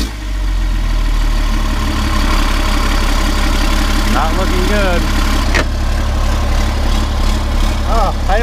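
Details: 1991 Ford F350 with CAT 3126 diesel swap, first start after new oil pump installed to fix hard-start issue: deep steady diesel rumble holding an even beat with no stumbling or misses, settling into a healthy idle.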